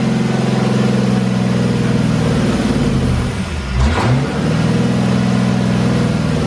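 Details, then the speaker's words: 1985 Chevrolet Corvette C4 L98 Tuned Port Injection V8 after distributor plug wire order corrected: deep idle uneven and wavering, blips up and settles; no knocking or dropped cylinders, but idle remains rough. "well there we go okay idle's definitely screwed up um but that sounded so much better"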